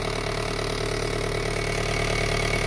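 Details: Car at idle: heavy, even low throb with a faint buzzy rattle and a gear lever that shakes; broken lower gearbox-side engine mount causes excessive vibration.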